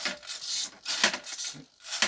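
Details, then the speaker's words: Iron Man Mk45 suit flap driven by a digital servo on a servo tester: short raspy buzzing bursts and gear rattle as the flap opens and closes and holds. "And you can hear that hum, the rattle, sort of off the digital servo, which is a bit of an annoying thing with those, but yeah."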